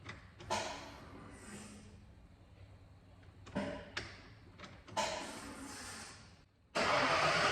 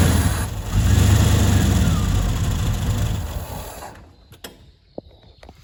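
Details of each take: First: Neglected 1992 Ford F150, fuel tank hanging on straps with fuel pump wired in: a few cranks, then the engine catches and runs steady but slightly rough, likely air in the lines; fuel pump works and engine runs. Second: 1991/92 Ford F150 that had sat neglected, no-start: on starter fluid it catches and runs roughly for about three seconds, then dies. Spark is good; fuel starvation, with no pressure at the rail test port from the electric fuel pump.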